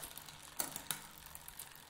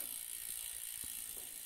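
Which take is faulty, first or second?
first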